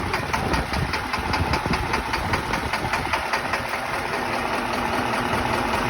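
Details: Diesel idle with sharp knocks at about two and a half per second over a rough run; engine knock caused by a faulty injector.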